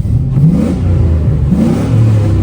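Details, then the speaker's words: Warmed-up $900 truck after a repair, revving through quick blips: it climbs and settles cleanly with no stumble or clatter, revs better than before and no longer blows black smoke. "I'd say it feels like it revs better and we're not [ __ ] out black smoke."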